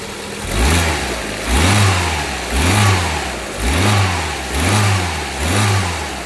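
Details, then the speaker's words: Proton Exora CFE turbo, which previously had no power, smoked and leaked oil: after a turbo service, oil and filter change and engine wash, quick throttle blips rise and fall smoothly with no rasp or rattle; the engine is now quiet and normal. "Ha nampak tu? Enjin pun dah senyap dah."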